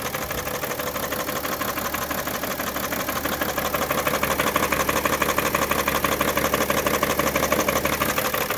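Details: 2011 BMW 335d diesel bought already knocking and smoking heavily: loud, very even knock about three per second at idle, clearly abnormal, cause not yet found.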